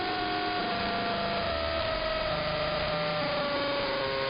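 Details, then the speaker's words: Interference across the entire AM band: steady buzzing hum with a whining tone slowly drifting down in pitch, like a motor shifting gears; not apparently RF, owner suspects an electromechanical source, possibly the industrial park two blocks north. "It sounds like it's shifting gears. Strangest interference I've ever heard. I mean, look at how it moves the whole band."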